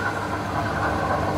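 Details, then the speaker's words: Yamaha NMAX (old model) on centre stand, rear wheel spun: rough, steady, fairly loud droning growl, no knocking, also heard at idle and downhill; worn bearings in the fixed driven pulley. "Ini sangat mengganggu sekali ketika motor lagi engine speed atau istilahnya ada langsam atau stasioner. Nah, ataupun posisi motor lagi di turunan, ada suara kasar yang cukup mengganggu karena dengungan suaranya lumayan cukup keras ya, dan diputar seperti ini pun"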